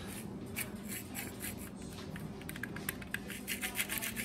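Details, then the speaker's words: Kenmore Elite Quietpak 9 HE5t washer with the drum bearings failing, spun slowly by hand during disassembly: rough, gritty grinding in uneven bursts from the worn bearing. "pressure washer slower a little grindy huh cool grinding see if you can hear it"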